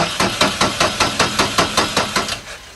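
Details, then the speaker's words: 1999 Subaru, noid light in place of the injector connector with the injector fuse pulled: even, rapid cranking with steady compression pulses that never fire; noid light stays dark, so no injector power and no start. "we got no light that's no power going to the injector"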